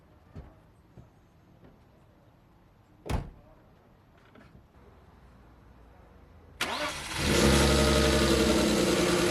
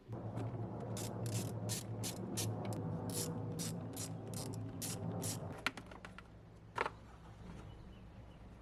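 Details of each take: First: 1998 BMW E39 520i single VANOS after fixing its crank-no-start, fuel pressure 54 psi: it cranks briefly, catches cleanly and settles into a smooth, even idle. No misfires or overheating, and the lifter tick is gone. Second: 1998 BMW E39 520i single VANOS, previously running very rough, cranking in an even rhythm about three and a half beats a second for five seconds without firing; crank no start, fuel pressure then measured 54 psi.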